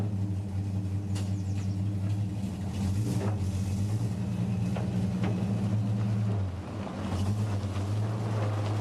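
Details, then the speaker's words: 1952 REO M-35 truck with REO 331 cubic-inch gasoline inline-six, after cylinder head replacement: steady low engine drone with a brief sag, running much smoother but not perfectly; the fuel pump still needs addressing. "you can hear that the truck is running much smoother but it's still not a hundred percent"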